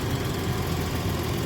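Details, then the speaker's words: 1982 Ford Granada coupe after fixing two exhaust leaks, pipe welded to the coupling: smooth, even, quiet low idle rumble with no puffing or ticking; exhaust sealed, normal idle. "you can see the car is quiet the leaks are free and everything seems pretty good"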